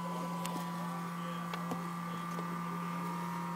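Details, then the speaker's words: Jet Central kerosene-start RC turbine fuel pump during priming: steady even low electric hum, no stutter or surging, picking up speed while air bubbles purge from the fuel filter; running normally. "bubbles coming out while it's doing that it's picking up speed and we're just going to shake it a little bit"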